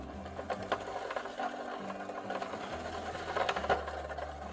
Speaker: and the chain is terribly rubbing against the chain guard so that will need some tweaking